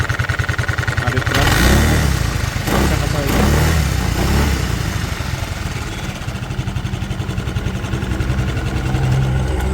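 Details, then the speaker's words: Suzuki Lets scooter after refitting the cover: starts, blips a couple of times, settles into even putter with no tapping or knock; engine noise fixed. "Final य देखिए कर दिया start कर दिया अभी कुछ इसका साउंड नहीं"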